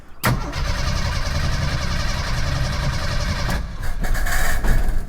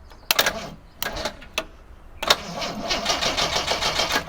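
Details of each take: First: 1987 Jeep YJ, 4.2L AMC inline-six with carburetor, sat at least 7 years: on starting fluid sprayed into carburetor it catches instantly, roars unevenly about three seconds, then stumbles; spark confirmed, quality unknown. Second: 1987 Jeep YJ 4.2L AMC inline-six, sat 7+ years: jump pack wired straight to starter with solenoid wire removed, sparks then brisk steady cranking; starter good, solenoid or cables suspected.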